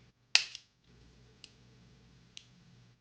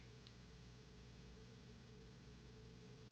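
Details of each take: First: New Taurus 66 Combat .357 Magnum revolver, cycled by hand to show correct timing. Three crisp, separate clicks as each chamber snaps cleanly into its notch. Normal cylinder lockup; one other chamber is starting to go out of time. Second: New Taurus 66 Combat .357 Magnum revolver, slow trigger pull on the chamber starting to go out of time. Silent with no notch click, then one sharp snap as the hammer falls. Late lockup from early timing wear, though still technically in spec.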